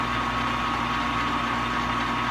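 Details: Scraped 14/40 engine lathe on first start after four months of major machine work: smooth constant motor hum and steady gear whir, no knocks or rattles; runs cleanly.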